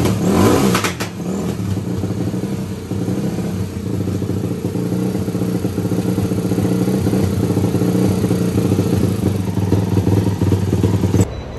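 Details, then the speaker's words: Yamaha YFZ450 four-stroke single after a full top and bottom end rebuild, timed correctly, radiator still being bled of air. Blipped revs hold a strong, even bark with no knocking. The motor sounds healthy, though the carburetor jets still need tuning. "as far as the motor goes it does sound healthy i believe we've got to mess with the jets a little bit we know it's in time we know it's rebuilt and true we know it has oil and gas"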